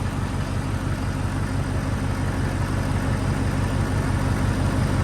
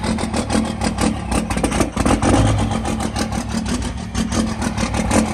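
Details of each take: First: Ford 6.7 diesel truck after an alternator replacement: an even, deep clatter idle with no stumbles. Battery read 12.8 V before start and 14.6 V running, so it is charging again. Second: Diesel truck from Florida, possibly without a grid heater, just started in cold weather: it catches, then runs lumpy and uneven with wandering speed and a ragged beat; rough cold idle, cause not confirmed.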